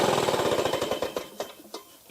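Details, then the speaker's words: Lawn-Boy two-stroke mower after carb clean, throttle-linkage spring limiting throttle before choke engages: popping, crackling slow uneven beat then dying away; running only half to two-thirds rpm, needs higher speed. "there's not enough throttle before it starts to kick in the uh the choke so it's running about a half to maybe two-thirds RPM it sounds like it needs to go up a little higher"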